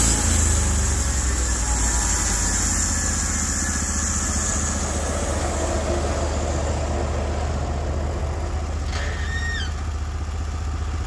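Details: Norwood HD36v2 bandsaw mill, day two testing new roller guides (ceramics replaced), slabbing big black oak through bark, 1.5-inch slabs, about 24 inches wide: steady engine drone holding speed under load, no bogging or squeal; effortless flat cut, normal load.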